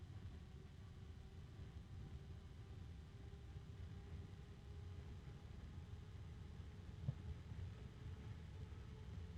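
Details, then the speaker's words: Evercool EC7015M12B slim 70mm 3-pin ball-bearing fan (StarTech FAN7X15TX3) at high speed: soft steady whoosh with faint even hum, no bearing rattle; bearing noise heard only at minimum voltage, running normally. "as with all small fans that actually need to move air this one spins very fast and it has a fair amount of power to it"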